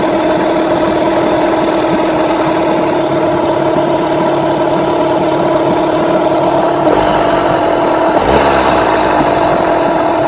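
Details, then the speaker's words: Rebuilt Yamaha 9.9/15hp outboard after carburettor mixture tuning: steady, even idle hum; a brief blip drops straight back to level tickover with no hanging or dipping. "Also hear how it comes back and it doesn't it doesn't sit in an RPM and then drop or it doesn't go drop and then raise back up again slowly."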